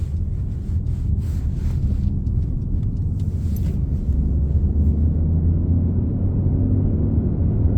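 A steady low drone sits under the road rumble and holds its pitch while cruising, a hum coming from the rear.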